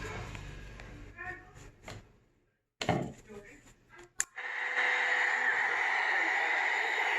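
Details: Yard-sale Tropicana radio after reattaching a broken wire and cleaning battery corrosion and the circuit board with DeoxIT: a few clicks and fumbling, then a steady even hiss-like sound from the little speaker; powers up and plays normally.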